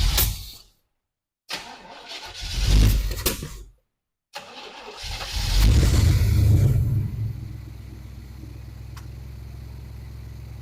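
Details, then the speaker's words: Abandoned, rusted 1978 Camaro 305, started after priming dirty fuel through a filter: two short cranks, a pop, then it fires, revs with a deep rumble and settles into a steady, even idle; running really good. "Oh yeah. Oh yeah. Now she sounds like a car. That thing's running really good."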